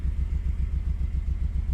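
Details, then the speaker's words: Fifth-gen Honda Prelude 2.2 VTi VTEC automatic, running after ECU swap: lumpy, pulsing low idle, not firing on cylinder one, running on three cylinders and smelling of petrol; cause not confirmed; cylinder misfire. "there you go it's running but we still have our mire problem if you can hear that it's not firing on piston one"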